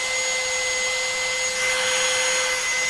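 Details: Low-budget rebranded brushless drill after repair: the rotor was rubbing the stator and overheating the module (burnt smell). Shimming with paper at the top fixed it. Free spin is now a smooth, steady high-pitched whine with no rubbing.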